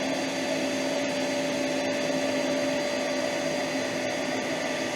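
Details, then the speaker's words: Metabo AS 36-18 L 20 PC cordless wet/dry vacuum on Boost: steady even motor roar with constant whistle over the airflow, no surging or stutter; strong normal suction. "put it on Boost let's [Music] go sucking up well look at it"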